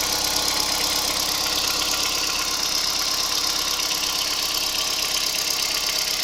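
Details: Kia Picanto 2011 1.2 G4LA, 96,400 km: fast, fairly even, treble-heavy ticking knock over a steady idle; owner unsure what is knocking.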